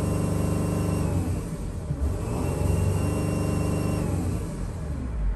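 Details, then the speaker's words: 2008 Dodge Sprinter diesel under acceleration, hesitating then revving to 3,000 rpm. A thin, high metallic whistle rides over the rumble. Owner attributes it to the turbo but says it could be the flex pipe; not confirmed. "That whistling right there, that is not good. It's definitely coming from the turbo, but that same sound can be coming from the flex pipe. It's a metal type of sound."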